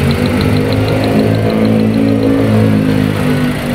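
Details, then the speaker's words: Toyota Rush with no check engine light: low idle hum that wavers and stumbles unevenly while rpm hunts; ignition coils tested fine, rough misfiring idle traced to worn spark plugs and cured by replacing them. "Toyota Rush walang check engine Pero ang idling malaro kita niyo medyo"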